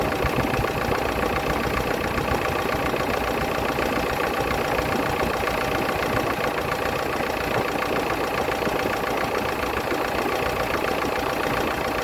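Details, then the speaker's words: S10 pickup that sat for many years, after vacuum leak repair and before fuel cleanup: steady idle with busy light ticking clatter over the engine note; lots of valve train clatter. "she still has a lot of valve clatter we haven't drove it too far it had been sitting"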